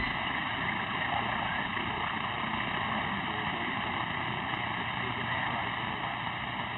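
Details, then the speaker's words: Constant high buzzing drone over thin radio hiss during a live vintage tube CB radio broadcast on 27.085 MHz, never varying; an unexpected alarm that the operator plans to clear by resetting the new audio board. "That is something new to me. I may have to reset something here. I've got an alarm."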